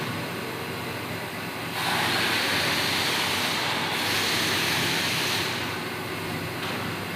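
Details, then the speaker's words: Samsung washing machine after repair, spinning at full speed 700 RPM: smooth, steady, even rushing spin with a gentle swell, no knocking or scraping; now normal. "जैसे कि आप देख रहे हैं washing machine हमारी full speed में चल पड़ी है 700 RPM पे और अल्हम्दुलिल्लाह से अब ये बिल्कुल ओके हो चुकी है, कोई आवाज़ नहीं है इसके अंदर।"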